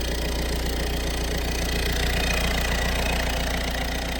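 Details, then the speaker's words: Peugeot 1.6 HDi (BHY) diesel after thermostat housing replacement for P2669/P2670 no-start, coolant system bleeding: even diesel clatter at steady idle, no rise or dip, no odd knocks; normal idle. "Alright, so it's running now, and I've just splashed some water over there so it all looks nice and clean."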